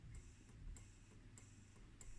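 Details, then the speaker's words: 1987 Teac MT-2 cassette deck used as DIY data collection unit; big solenoid that activates the tape snapping in and out, crisp ticks about every 0.6 seconds over low hum; normal solenoid clicking. "so there's a big solenoid that goes in and out here that will activate the tape something like that"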